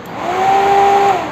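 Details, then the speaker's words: KTM Duke 200 radiator fan that had stopped working, causing overheating, run by grounding the green wire at the first fan relay under the tank: steady, even motor hum then wind-down, no rubbing or rattle; fan now running properly. "பார்த்தீங்கன்னா வச்ச உடனே fan ஓடுறதுனால தெரியும் உங்களுக்கு. இப்போ நான் மறுபடியும் direct பண்ணுறேன். ஃபேன் ஓடும் பாருங்க."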